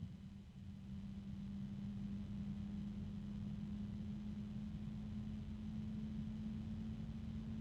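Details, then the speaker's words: Alphacool iCyclone Aurora Lux Digital RGB 140 mm fan under review: steady low hum near 210 Hz over soft rumble as an intermittent noise returns; reviewer guesses harmonic resonance but isn't sure, and doubts it's the helping-hands holder. "There it is again. Huh. I don't know what that noise is. I'm not sure if that's. I'm guessing it's a harmonic resonance, but I really just am not positive that it is."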